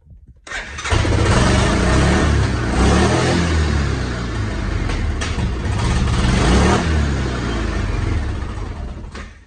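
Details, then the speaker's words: Fuel-injected Hisun 550 UTV after 2.5 years of use, losing power, hard starting, dying on throttle: catches and surges unevenly with sharp backfire pops, won't hold a run; clogged fuel injector, replaced with inline filter added. "yeah this it does not want to run it's backfiring i've seen where the injectors clog up and stuff like that"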